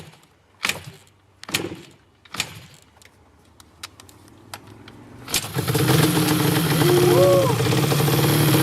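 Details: Yamaha Banshee two-stroke twin (dual-carb, dual-head), barn find unrun for 7 years, new CDI, both plugs sparking: a few slow kicks, then it fires on starter fluid, revs raggedly and shuts off; owner suspects old oily fuel in the lines plugged the carburetor again.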